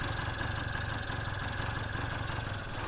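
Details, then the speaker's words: 1983 Honda Aero scooter, no air filter fitted yet: a small two-stroke buzzing at a fast, steady idle that never drops. The owner suspects the electric automatic choke (bystarter) is still engaged; the cause is not confirmed. "only thing I'm not sure about is the automatic choke it sounds like it's still choked and it should be off choked"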